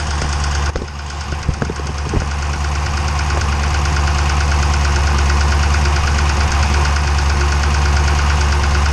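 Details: 392 V8 with 1400 miles idling, steady low rumble with a dull, fairly regular knock about three a second, sounding like a Cummins; engine knock, cause suspected but not confirmed.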